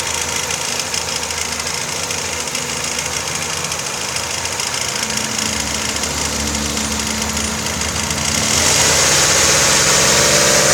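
Steady, fast, even ticking knock over a smooth idle, holding a constant rate; a clear internal engine knock, source not yet pinned down.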